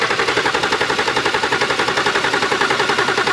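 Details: BMW E90 325xi N52: steady starter cranking at nearly four beats a second, never catches. It is a crank-no-start that began after refuelling, with 0 psi at the fuel rail; it runs on starting fluid, and the owner suspects the new fuel pressure regulator.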